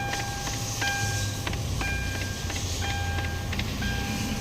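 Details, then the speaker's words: Hyundai Tucson, ignition on with engine off: sharp uneven clicking knocks from under the dashboard, a blend door actuator hunting; fades shortly after the engine is started. "So pag nag-o-on pa lang meron na siya. Patayin natin ulit. Tapos on natin yan. Ayon. Parang kumakatok yan."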